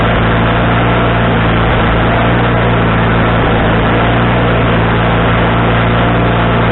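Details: Wood-Mizer LT40HD sawmill engine with a new carburetor, after carburetor adjustment: a steady, even drone with a low, regular beat and no hunting; the surge has settled, though the needle may need another half turn.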